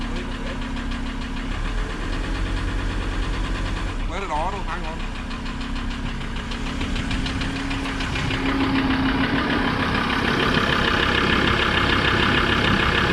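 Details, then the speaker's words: Toyota 76-series wagon with six-speed automatic, just started at auction: fast, regular knocking about three a second over a rough idle, judged a rod knock. "fired up hello flag oh oh dear she's a rod knocker she's a bit Taffy"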